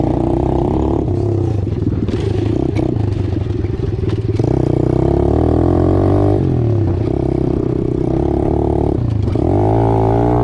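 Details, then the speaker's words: Apollo DBX-18 single-cylinder dirt bike after a transmission rebuild with replacement X-PRO gears and a full gasket kit: it revs and shifts cleanly with no grinding, and the earlier rattling is gone. Normal running; it shifts better than before. "Good sign. I don't hear the rattling that was going on before, so we'll strap up."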